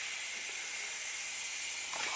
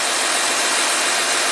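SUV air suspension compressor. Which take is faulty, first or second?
second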